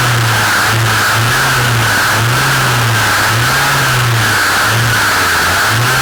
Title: Dolmar MS 4510 Shaft View (LOUD NOISE)